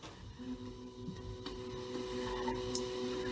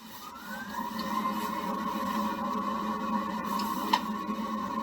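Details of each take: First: Water heater switched back on after maintenance, once refilled with cold water: steady fan hum with faint ticking after a quiet start; starts and runs normally. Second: Water heater after main power is switched back on, with water and gas shut off before the vinegar heat-exchanger flush: rising whir into steady fan hum with clicks; it tries to start but cannot fire.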